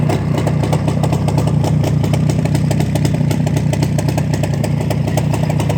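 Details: Black ČZ two-stroke motorcycle after engine repair: quick, fairly even idle crackle of about four beats a second, no rattles or misses; running properly.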